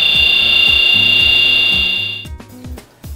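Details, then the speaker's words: Electric motor bearing damaged by VFD-induced shaft voltage discharge (electrical discharge machining): loud, steady, piercing high whine with a faint pulsing rhythm beneath; fluting, a washboard pattern of regular pitting on the bearing race. "fluting which is a concentrated pitting of the bearing race at regular intervals results in a washboard pattern on the bearing race this is what they're included sounds like"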